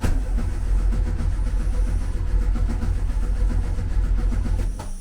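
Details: 1974 VW Beetle, 1915cc air-cooled engine converted to MaxxECU fuel injection, set sequential without cam sensor: steady starter churn with throttle open, engine never catches; crank no start, owner suspects a configuration setting.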